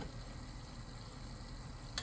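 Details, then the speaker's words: Midea mini VRF concealed indoor unit with B3 error; float switch lowered by hand, steady fan hum then one sharp relay click on the board clearing the error; condensate pan full, drainage pipe likely blocked. "So, pakinggan natin kung may mag-click dito sa board niya. Pag meron, ibig sabihin mawawala na yung doon, yung error."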